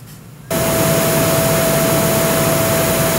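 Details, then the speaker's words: Roland MX-1 analog input, mono then stereo channel from an MPC via Complete Audio 6, monitor and master at full volume: loud, flat hiss with a faint steady tone; analog channels very noisy. "this is very ugly now a stereo channel from the MPC for complete AIO 6 pretty ugly but exactly the same thing as the monoch channel"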